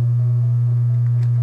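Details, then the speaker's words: 1965 Packard Bell solid-state AM/FM console stereo on the bench: a loud, steady low hum with a buzzy edge. One main filter capacitor shows 12 V AC ripple and is the likely culprit; the fix was recapping the amplifier. "that one's not bad 0.15 volts 12 volts ac ripple on that capacitor that is probably the main culprit"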